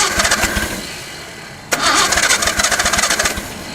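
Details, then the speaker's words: 1972 Datsun 240Z fed fuel (two-stroke mix) poured down the carbs, possibly flooded: it catches with sharp, uneven firing, fades, stumbles and dies. It runs briefly then stalls; owner thinks it ran out of fuel. "Think we're out of fuel. That's the longest I've heard it run."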